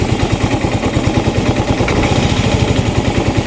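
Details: Yamaha Mio i 125 (M3) that misfires, smokes heavily (attributed to fuel pump pressure), has an unresponsive O2 sensor, and a TPS reading 74 instead of the adjusted 66: lumpy idle with irregular pops. Engine misfire, cause not confirmed.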